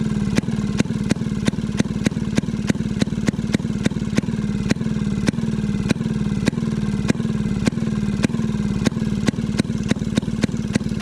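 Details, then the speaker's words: Maytag 92 hit-and-miss engine after off-camera adjustment, later found to have been getting too much fuel: crisp firing pops about three a second, unevenly spaced, with no squeal. Yesterday's squeak has quieted a lot. Normal running. "see if it want more fuel or something seems happier the the squeakiness of yesterday has quieted down a ton too"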